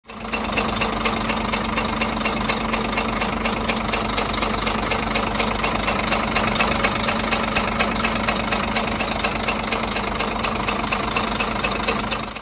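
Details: Scania 13-litre truck diesel at idle: a sharp, steady knock about two per second over the normal clatter. Possible overheating is questioned; cause not confirmed, engine brought in for repair.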